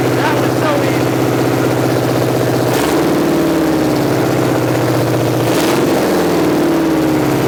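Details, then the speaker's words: 1986 Chevy C10 Custom Deluxe with replacement small block 350 V8, first start in decades: fast, busy idle between two quick throttle blips, settling slightly higher than it should; some smoke, likely dust; high idle. "but that was amazing she's going to be a runner I think the idle was maybe a little bit high"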